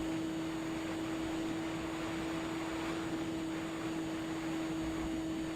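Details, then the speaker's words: Twin-motor FPV plane in flight after one motor failed, flying into a headwind at about 28–30 km/h. The remaining motor holds a steady, high full-throttle drone under wind rush. "pouvez écouter le rugissement du moteur, le seul moteur qui est en train de fonctionner actuellement."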